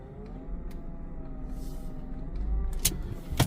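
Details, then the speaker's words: BMW E36 328i idling with a new power steering pump: a steady mid-pitched whine that wavers slightly, same as with the old pump; louder at normal operating temperature. Owner suspects the engine-bay lines, not confirmed. "I don't know if you can hear it, but the power steering pump is making the same noise like before."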